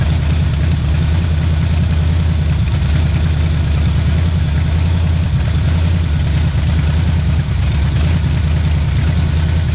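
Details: 1977 Pontiac Firebird V8 drag car revived after about 36 years sitting, cold start, warming up for thermostat to open; deep loping idle with uneven exhaust chop, no knocks; normal lopey cam idle.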